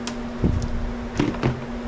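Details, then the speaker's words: 2000 Yamaha G16 gas golf cart that sat for years, weak battery at 10.5 volts: pressing the pedal gives a few sharp single clicks with no cranking; a bad starter solenoid is suspected. "We might have a bad solenoid. Because when you step on the pedal, you can hear it clicking,"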